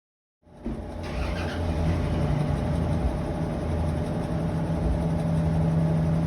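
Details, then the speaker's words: Whirlpool washer, after repairing a noise blamed on water leakage: motor winds up into a smooth, steady low spin hum with no grinding or rumble; normal spin. "ya quedó bien serenita pero la lavadora"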